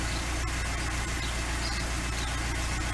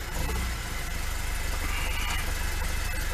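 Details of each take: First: LADA 2102 with carburetor, first start after sitting a year: even, steady low idle with a smooth, regular beat and nothing knocking or missing; idling fine. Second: Lada 2102 carbureted engine started after sitting about a year, idling rough and low with a brief stumble and dip as it's blipped; owner notes a flat spot on acceleration, cause unclear.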